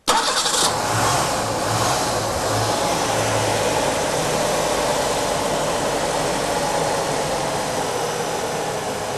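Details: Warm engine started for an oil pressure check: it cranks briefly, catches cleanly and settles into a smooth, even idle with no knocks or ticks. Oil pressure is within the 40–60 psi spec at 2000 rpm hot.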